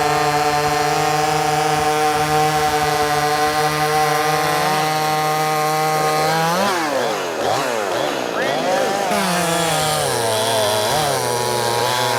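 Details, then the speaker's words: Brand-new Wemars 6220 chainsaw, fresh and not broken in, shakedown cuts: steady wide-open scream, pitch sags and wavers as the chain bites wood, recovers cleanly; strong, healthy saw pulling hard under load. "I mean, it runs good. Geez, this is shocking."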